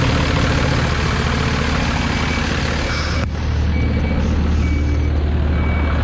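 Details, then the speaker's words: 2007 Freightliner M2-106 tree service truck, 6.4 liter 210 hp diesel: steady idle with a constant high hiss for several seconds; an air leak, location shown by the seller, warning light on. "You can hear it's got some sort of an air leak, and I can show you exactly where it is."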